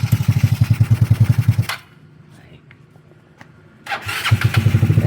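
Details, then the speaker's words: Two-stroke motorcycle after its reset for noise, not yet tuned, air cleaner uncovered: it putters evenly at idle, shuts off, then restarts cleanly with no knocking, now very quiet, a normal idle. "So ayun ah start lang natin yun. Napakatahimik na."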